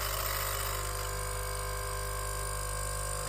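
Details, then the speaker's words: Nespresso U XN250 coffee machine, descaling with vinegar, temperature at optimum: steady quiet pump hum with no change of tone, water level unchanged and none from the nozzle; flow meter clogged, pump running without water flow. "but water is still in the same level, and no water comes out of the nozzle here."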